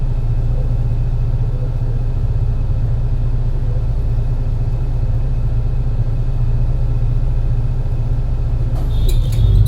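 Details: MAN NL202 CNG bus with ZF Ecomat 5-speed gearbox climbing a hilly route under load: deep drone with uneven, stumbling pulse; bad engine misfire while pulling.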